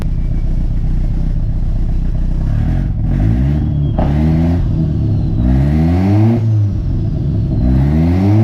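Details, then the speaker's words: 240 being switched to straight E85 with VE table and fuel tuning under way: quick rev blips with sharp pops and cracks on lift-off, from fuel and ignition cuts. "You can definitely hear the fuel cuts, ignition cuts. That's what the pops and the bangs are."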